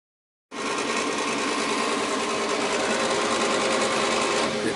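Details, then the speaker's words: Goodman gas furnace exhaust (inducer) fan motor before replacement: loud rough whirring chatter with uneven beat about three per second over the airflow; motor worn out and being replaced. "that exhaust fan motor gonna be replaced i got another one was back here a couple of months ago and i told him about the motor"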